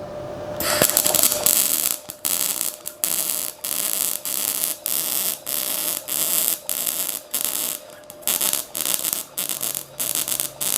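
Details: Ramco 120 A MIG welder with CO2, current turned up for a longer weld: crisp even frying crackle in short repeated bursts with clean stops; normal arc, clean neat bead.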